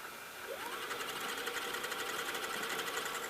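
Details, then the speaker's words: GoVideo GV-6010/6100/6150 dual-deck VCR, deck 2: a light mechanical whir with fast, even ticking as fast forward intermittently fails and the tape never winds. No belt slipping was found; the deck unloads the tape. "deck 2 has the issue okay to fast forward and it can fast forward everyone well sometimes it fails to pass forward"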